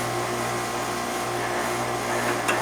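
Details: Outside central AC condenser, previously not starting with breaker untripped, running after a part was replaced: steady even compressor hum under smooth fan rush, no clicking, buzzing or labouring; condenser running normally.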